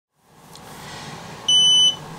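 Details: DJI Spark remote controller, new, after the drone lost connection while flying indoors and landed: a steady high two-tone beep over faint room hiss. The remote keeps beeping and will not turn off.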